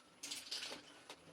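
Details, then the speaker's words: Electric go-kart with sine-cosine rotor sensor creeping slowly over a bump: no motor whine at all, only a few light chain rattles; electric drive smooth, quiet and healthy. "I mean, I'm just creeping slow. And it's so quiet too, you can't even hear anything. There's no whine. There's nothing. I can hear the chain going, but that's about it."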